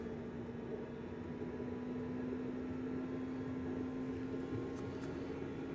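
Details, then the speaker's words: Planar/Autoterm 2D 12V diesel air heater, 90-degree underfloor install in a Microlite Cargolite mini camper, starting after fuel priming: steady even roar with constant low drone, no surging or popping; normal running at full power. "sounds like a jet engine taking off uh it's one warm very good"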